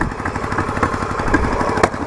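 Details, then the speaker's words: Yamaha Virago XV920 café racer V-twin: lumpy uneven idle with sharp exhaust pops, heavy backfiring; owner says carbs need syncing and hears an unexplained clicking noise. "Backfiring like a motherfucker."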